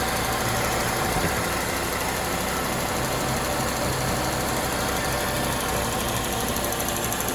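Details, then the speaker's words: 2003 Honda Element warmed to operating temperature after valve clearance adjustment (exhaust valves were too tight, causing rough idle, stalling and P0301 misfire): steady smooth idle with no stumble or dropouts; manifold pressure reading lower. "all right cars warmed up operating temp the idle's no longer rough"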